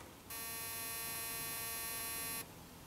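A single steady electric buzz lasting about two seconds, then it cuts off cleanly; the trap's normal start-up test fire.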